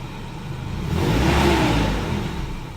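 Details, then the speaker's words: Nissan S14 240SX, warming up after a new fuel filter was fitted to cure a hesitating throttle; gauges and electronics not working. A quick rev falls back and the idle sags low as if about to stall, same as before the filter. "dude it does idle just went down by a good bit I kind of sound like it wants to like die every time it comes back down from being revved"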